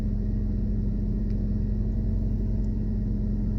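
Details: 2001 Toyota Camry idling after timing belt, roller and pulley replaced and under-bonnet fuses swapped to correct ratings to cure erratic RPM; low, steady, even rumble with no misses or surging.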